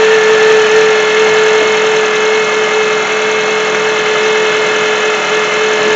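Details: 2007 Honda CR-V at idle: steady high-pitched whine holding one pitch over smooth idle; bad alternator not charging, about 13.7 V, only 12.23 V with load; alternator to be replaced.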